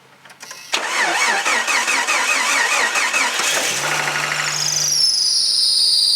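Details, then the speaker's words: 1992 Jeep YJ 4.0L, before alternator and belt removal: uneven cranking for about three seconds, then a weak catch with a thin high squeal over an unsteady idle; a rough, pathetic start, cause not confirmed. "Gonna give it a start, and it sounds really pathetic when you fire it up."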